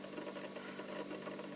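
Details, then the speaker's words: Refrigerator compressor running after the capillary and filter were checked for clogging: steady, even hum with faint mechanical chatter; the earlier noise has stopped, so it is running smoothly and normally. "jadi langkahnya seperti awalnya bunyi kemudian ini sudah tidak bunyi lagi. Artinya ini sudah halus."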